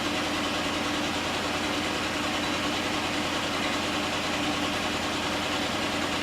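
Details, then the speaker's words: Jeep Liberty 3.7L auction car, cylinders 4 and 6 exhaust valves found not opening, idling with an uneven, loping, stumbling beat; unsure whether one or two cylinders misfire, likely one; puffing from the exhaust. "I can't tell if it's 1 cylinder or 2 cylinders misfiring. I think just 1."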